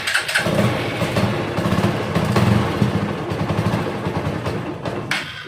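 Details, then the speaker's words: TVS bike with damaged wiring harness, starting trouble, tested with plug holder and petrol test can: engine catches, races about twice unevenly, then dies within about five seconds; starts then stalls. "இப்படி race ஆகி start ஆகி ரைட்டாக ஒரு 2 race ஆகி of ஆகிடுது."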